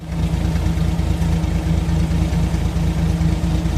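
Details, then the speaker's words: Suzuki DA64W with a turbo K6A engine, freshly overhauled but still low on power and leaking: uneven idle whose pulses stumble and miss now and then, exhaust popping, turbo barely audible; slight misfire at idle. "Kita na to diha mga idol nga murag nagbuto-buto ang andar sa iyahang exhaust mga idol. Murag wa katingog ang turbo mga idol."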